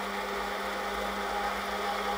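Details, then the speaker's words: Brush-type washing machine motor after speed-encoder fix (new bearing, aluminium piece, stainless non-magnetic bolt securing the loose magnet ring): smooth, steady hum with no knocking or grinding, doing proper speed steps; runs healthy. "All good. All back together. I know it's a bit dark here, but it's doing the proper speed steps."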